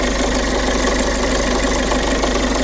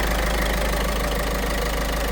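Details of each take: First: Peugeot 5008 1.5 HDi diesel at idle: fast, even metallic clatter from chain side, constant; cause confirmed stretched camshaft timing chain, stretched nearly a full link, affecting tensioner. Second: Peugeot 5008 1.5 HDi diesel after replacing the stretched cam timing chain, tensioner and belt: even, steady idle clatter, no tapping from the chain side; knock gone, normal idle.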